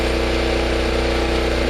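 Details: Generator: even, constant drone at fixed speed, no clanks or rattles; runs okay, though an earlier unexplained metal click and two plastic pieces found under it remain a mystery.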